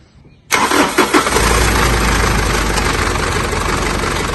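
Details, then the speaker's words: Mitsubishi L200 Triton 3.2 DI-D direct-injection diesel at start-up, filmed before disassembly: loose metallic clatter settling into a loud rattly idle from a failed timing chain, later replaced with an original kit. "pessoal olha o barulho dela como que tá pode ver que tá bastante morrido esse ruído é proveniente da corrente de comando dela"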